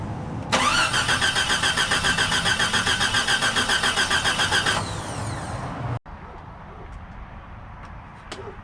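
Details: 1992 Jeep XJ after a water pump replacement, belt and steering pump back on and the auxiliary fan left out. The starter churns at a steady, quick rhythm for about four seconds, then drops off with no firing at all: cranks but won't start.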